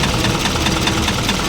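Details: Isuzu 4HL1 electronic diesel at idle. A dull, regular knock, with smoke puffing from the dipstick in time with it; external parts were checked and nothing found, and it gets louder when revved.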